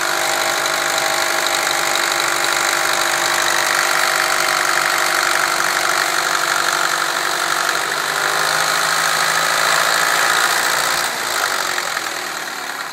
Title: bruit moteur mini.MOV